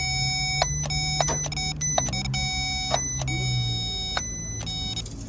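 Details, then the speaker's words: GMC Yukon Denali EVAP vent valve powered for test during purge and vent valve replacement for codes P0449/P0455; crisp, irregular clicks every half to one second over steady electrical tone, valve jumping open and closed. Normal EVAP vent valve solenoid clicking. "there you go you can hear the valve in here is open and Clos is jumping is good"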